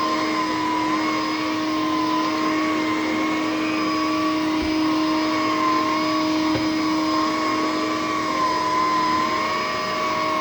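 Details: A used vacuum (possibly the Electrolux, dated about 2001) gives a steady, fairly loud, high motor whine with a slightly wavering pitch. It may be a worn fan motor, though the owner suspects this loudness may just be normal for these Electroluxes.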